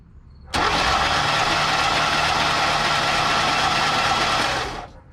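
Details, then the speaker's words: 1985 Chevrolet Corvette, parked 20 years, supposedly 24,000 original miles, cranking with spark plugs removed: a steady, even starter whirr for about four seconds with no compression chuffs; it spins freely. The no-crank cause was the starter itself being stuck. "Sounds pretty good. At least for the plugs being out of it."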